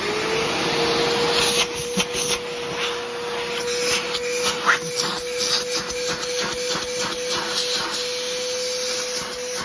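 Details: Trash-picked older Bissell PowerForce Helix Turbo 68C71 upright vacuum, suction test: steady mid-pitched motor hum under scratchy, uneven rushing; has suction but sounds rough, owner suspects the motor needs work, probably just a cleaning.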